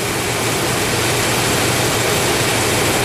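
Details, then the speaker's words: 1999 Chevrolet Tahoe V8, warmed to operating temperature, previously clanging and banging with low oil pressure, now idles steady and even under loud fan noise with no clanging or knocking; normal idle, though the owner expects it may change. "sounds perfectly fine and here's the other catch no it'll probably change on me all pressure and it's up to operating temp and it's running fine"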